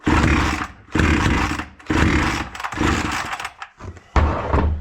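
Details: Proyard 450 two-stroke cut-off saw with a no-start fault, before repair: it surges in loud bursts about once a second, then sags between them and never holds speed; running rough.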